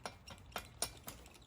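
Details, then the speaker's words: Vittorazi Moster 185 engine, clutch off, crank rocked by hand: light clicks about four a second from about 7 thousandths of play at the outboard crankshaft bearing, which caused seal leaks and air-fuel mixture issues. "So now that we have the clutch off, you can see the amount of play right in here. You can see where when I wiggle it back and forth, you can hear it."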